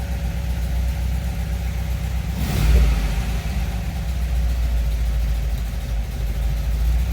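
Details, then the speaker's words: 1979 MGB idling cold on choke, temp gauge not yet reading: even low idle that swells briefly mid-clip then settles back, leveling out as it warms before the choke is eased down; normal cold idle. "It's leveling out, starting to warm up."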